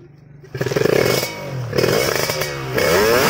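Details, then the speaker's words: Motorcycle carburetor fitted with an oversized, fuel-wasting jet in place of the original: the engine catches and clatters unevenly, runs rough, and dies at idle. "terlihat kurang lancar dan langsam pun langsung mati ya."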